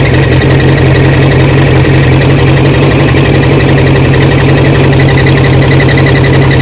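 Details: Barn-find 1979 Honda Prelude (sat for years), restarted after topping up slightly low oil. Rough, loud idle with an uneven deep knock about three per second, which owners call a bottom-end rod knock.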